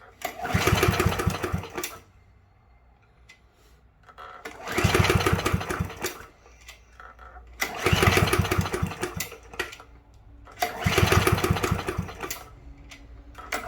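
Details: Yard Machines push mower 11A-02MG029, curbside find reported not running: four pull-start bursts of fast chuffing cranking that never catch; has spark, should be getting fuel, owner suspects wrong spark plug.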